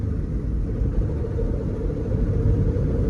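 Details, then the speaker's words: 1997 Honda Civic LX 5-speed manual, 362,000 miles, driving in gear: low continuous rumble with faint hum that goes away with clutch pressed and has grown louder over the years; internal transmission bearing suspected, not throwout bearing. "And then you can hear that it's not a throwout bearing, but it's an internal transmission 5-speed bearing."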